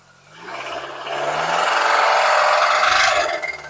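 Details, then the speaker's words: Severely overheated Nissan Evalia engine that seized: under revving, a harsh rasping clatter rises and fades with revs, a deep knock from the lower internal engine of unknown cause, not yet opened; engine to be removed for inspection. "Suaranya ngerih banget ya. Suara ketukan di bawah mungkin itu kengap atau enggak atau apa ya, kita belum tahu soalnya belum kita buka. Yang pasti ini di bagian dalam mesin ya."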